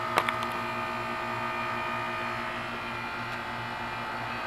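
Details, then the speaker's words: 2004 Carrier 10 SEER 3-ton heat pump, about 12 years old, frozen in cold weather and in defrost mode: steady, quiet compressor hum with a few even tones and a light click at the start, reversing valve shift expected; normal defrost cycle. "hey Moe hey Larry I think the heat pumps on fire oh no wait it's just a frosting"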